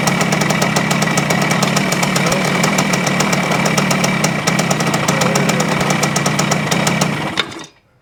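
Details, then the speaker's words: 1973 Yamaha CT-3 175 Enduro two-stroke before main bearing replacement: uneven idle with an occasional miss and loose knock as the crankshaft moves up and down, opening the points; worn crankshaft main bearings. "ry to let it idle it won't see the the roughness it is like it misses one once in a while and I think that's from the up and down movement that we're seeing here"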